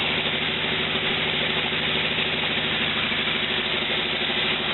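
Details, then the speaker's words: A 1949 Willys with a replacement used four-cylinder engine, with valves recently unstuck, very old spark plugs and an electric fuel pump, idles steadily and evenly with a smooth beat and no knocks or misses, running pretty good. "I think it sounds like it's running pretty good"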